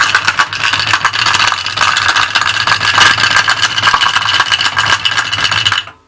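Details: Honda VFC 1100 motorcycle engine at a morning cold start: a busy rattling tick rides over the idle, then cuts off. The cause isn't clear.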